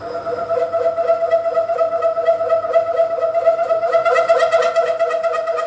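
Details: Boring bar extension with a 2-flute 12 mm end mill as cutter, opening a counterbore to 1 inch on a radius dresser part, speed slowed right down: a sustained high ringing squeal pulsing through the cut. The boring bar is chattering.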